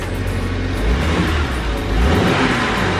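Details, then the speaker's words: BMW 135i running with the accessory belt off: deep even engine note with no knocks or clunks and no leaks seen, after a previously heard noise thought to be a lifter; engine sounds healthy. "it's healthy right let's unbox it it sounds really good I'm telling you dude"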